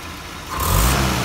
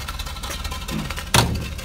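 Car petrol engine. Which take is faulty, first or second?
second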